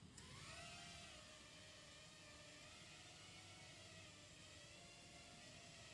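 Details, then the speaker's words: Martian II FPV racing quad (Hyperlite V3 2206 2600KV motors, DYS XS30 ESCs, RaceKraft 5051 props) flying after flight controller replaced: steady high whir, smooth even pitch, no surging or wobble; oscillations gone, normal flight. "can see the oscillations are completely gone."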